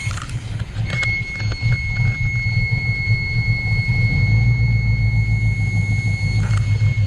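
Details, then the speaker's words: Luhrs 28 boat engine with newly rebuilt carburetor, cold start with air filter off: engine catches easily and settles into a steady low rumble with a faint high squeal; no stumbling, carburetor not spilling over. "see how easy it turned on the carburetor is looking good no spilling over"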